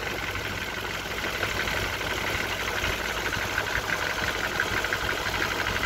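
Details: 1994 BMW E34 M50B20 with VANOS and automatic: even idle with a light, fairly steady tapping knock, not hydraulic lifters; chains, tensioner guides and VANOS redone, no oil use, knock unchanged for several years, cause unknown.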